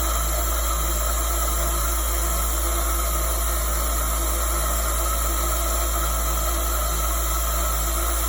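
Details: PROVerXL 4030 CNC spindle: loud, constant, shrill whine over a hiss at steady speed with no rise or fall; abnormal spindle noise, cause unknown.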